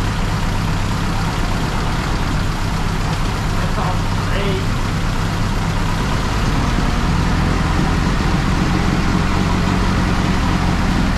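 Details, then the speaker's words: Counterbalanced-crank engine at idle: deep, slow, even low idle rumble with no shake or misses, much smoother than a comparable engine; usually starts first crank; normal idle. "Oh man, it idles so low. Wow."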